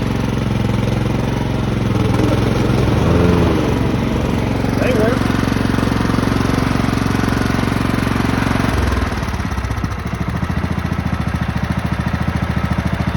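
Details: Craftsman lawn tractor, 15.5 OHV single-cylinder, sat 3–4 years, after nest cleanup and fresh gasoline: a steady, even thump, then a slower idle when the throttle is lowered; running smoothly and healthily.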